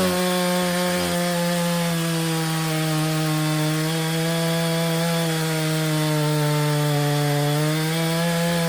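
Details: Stihl 034 two-stroke chainsaw after repair (complaint: would not idle; fuel line found broken): a strong, steady high buzz that dips slightly as the chain bites into wood and then recovers cleanly; normal running under load.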